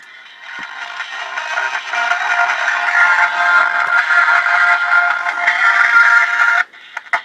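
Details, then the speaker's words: Realistic DX-398 shortwave radio on AM, station 1090 Baltimore, original speaker not yet replaced: harsh, buzzy, crackling audio with no clean low end, worse as signal and volume rise; failed loudspeaker distorting. "Yeah, that's horrible. That's actually the station I listen to most of the day, 1090 in Baltimore. Yeah, and the stronger the signal gets and the higher the volume gets, the worse it sounds."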